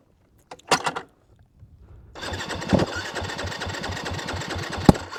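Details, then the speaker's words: 2022 Yamaha WR250F, warm, stopped 5 miles into a ride after small backfires and already slow to restart when warm; no kickstart: short blips, then steady even cranking for about three seconds that never catches. "I'm up in the middle of [ __ ] nowhere and my bike's not firing"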